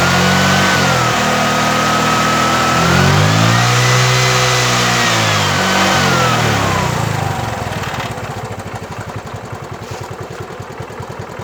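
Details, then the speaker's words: Bajaj Chetak/Legend 4-stroke scooter, just started cold on one kick, revved and idling: clean smooth revs and steady even idle, no misfire or knock yet; the problem appears only after minutes of running. "एक किक में स्टार्ट हो गई है और बहुत smooth work कर रहा है, कोई मिसफायर नहीं, कुछ नहीं। और अगर मैं इंजन को रेस भी करूँगा तब भी ये स्मूथली वर्क कर रहा है, देखिए इस तरह से।"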